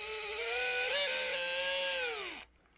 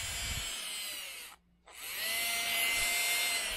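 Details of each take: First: Titan 21-turn 550 brushed motor from a TRX4, powered on the bench: loud piercing squeal dropping in pitch as it winds down; owner says it needs cleaning, possibly worn out. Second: Titan 21-turn 550 brushed motor from a TRX4, after the squeak fix (rinsed in water, blown out, still slightly wet): high, even whine spinning up, stopping, running forward and reverse smoothly with no squeal.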